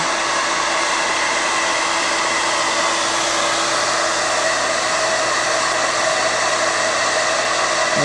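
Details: Standard Conair bladed-rotor hair dryer on high: steady rushing airflow with a constant high whine on top, no wavering or rattles, with a spectrum peak around 4 kHz; normal operation.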